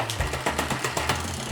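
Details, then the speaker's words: Bicycle rear derailleur, shifting up to an easier gear while pedaling: fast rattly ticking, about eight clicks a second, as the chain hesitates before settling; cable tension off. "Did you hear that took a few ticks? What that means is that what I can do is loosen this barrel adjuster a little bit, which is going to make it a little bit longer."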